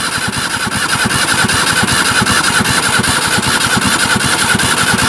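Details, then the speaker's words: Barn-find Zastava 850 left in storage for years, on a start attempt: a steady cranking beat of about 2.5 per second that never fires; there is no spark, and the owner suspects the coil and finds rusted points. "it's obvious L we haven't got any spark we're going to start with the basics"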